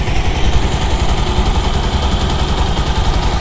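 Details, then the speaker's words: Bajaj Pulsar 220 single-cylinder after timing chain tensioner replacement to cure tik-tik noise: even idle thump with a steady beat and no tapping from the top end; chain noise gone. "आवाज नहीं ए रही कितनी कुछ आवाज नहीं ए रही भाई"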